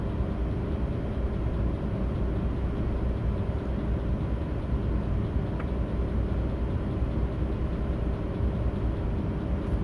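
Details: Audi A8 D3 with 6.0 W12 at idle during a VCDS lambda check for misfires: low, steady drone with a faintly uneven, lumpy beat, pointing to a misfire; cause not clear.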